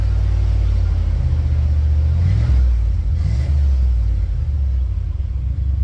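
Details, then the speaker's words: 1989 Chevrolet Silverado with a modified exhaust and added deadening, revved into the boomy drone range: a deep, steady drone with no buzzing or rattling on top; no rattle at drone rpm. "I think we're good there no rattles at all I'm happy about that because it is annoying on"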